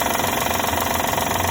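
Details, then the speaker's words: 2012 Honda Odyssey at idle: fast, regular metallic ticking from the belt drive, suspected to be the belt tensioner, with oil leaking nearby. Characteristic engine ticking noise for these engines. "Bueno, esto es una Honda Odyssey 2012. Tenemos un ruido muy característico estos motores. Al parecer es el sensor de la correa y de nada."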